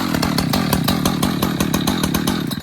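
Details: ECHO Timber Wolf CS-590 chainsaw, new, restarted after brief choke warm-up: even rapid firing at a steady pitch with a clean, regular beat; starts easily and runs smoothly.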